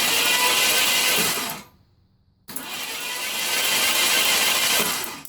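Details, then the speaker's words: 1980 Ford F100 sitting 29 years, new battery, penetrating oil in cylinders, no fuel yet: two cranking bursts of about two seconds, even chug around three per second, turns over freely but doesn't fire; positive battery cable was smoking and sparking. "After installing a new battery, I wanted to see if it would crank. This will also blow any excess penetrating oil out of the spark plug holes."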